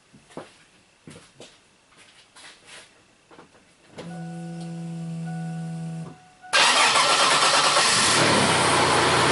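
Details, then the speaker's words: Cranking and starting during a Picoscope battery test, about 7.6–8 °C measured temperature, amp clamp on the battery; a few clicks and steady starter whir, then the engine catches and runs evenly, normal crank and start. "just go in and crank it let it start so they can get all its readings"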